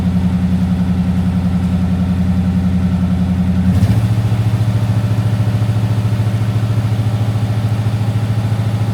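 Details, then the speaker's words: Cold Daimler Majestic Major limousine with Hemi V8 at idle, needing to warm up: deep, even burble dropping to a lower steady note, very smooth; normal cold idle. "got to warm up a little bit it's a very smooth engine isn't it"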